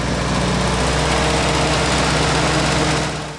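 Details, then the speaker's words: Early 1942 WW2 Ford jeep barn find, first start, ignition hot-wired to battery: even, quick putter of the small four-cylinder at about three beats a second, no knocks or misses; healthy idle with oil pressure, though float stuck and carburettor overflowing. "oh sweet she's going she's got pressure sounds pretty good"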